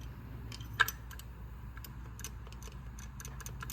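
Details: Lifter pushed by hand on a strip-down of an engine that failed during tuning: sparse, crisp light clicks with no rattle or looseness, how a good hydraulic lifter should sound, unlike the worn loose one (suspected broken internal clip).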